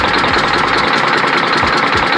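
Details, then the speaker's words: Detroit Diesel Series 60 11.1 in Freightliner FLD120, after hard start, bad injectors: loud uneven idle with rapid clattering knocks and lopsided beat, misfiring with only some cylinders hot; cause unconfirmed, injectors to be pulled. "It's running off of 2 cylinders apparently."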